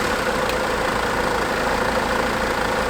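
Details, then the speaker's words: Mercedes W209 CLK 270 CDI diesel after injector seal replacement for black death; even idle, steady rhythm, no chuffing from the injector and no fuel leaks, some carb-cleaner smoke from exhaust, running fine, normal idle. "Obviously a bit not through, but it seems to be running fine."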